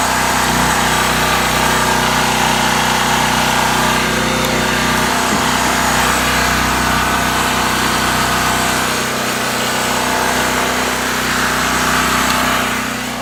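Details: New Powerhorse 4000 generator on its first run: a steady, even engine drone holds constant speed throughout with no knocks or hunting; it is running normally.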